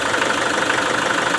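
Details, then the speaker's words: Land Rover Defender 110 diesel after engine bay cleanup and repairs, broken lifter/push rod fixed. Even idle clatter, no back pressure and no belt screech or chirp; belt and tensioner sound perfect. "now look at this not a bit of back pressure now also if you can listen there's no screeching from the belt you know like the the tensioner perfect"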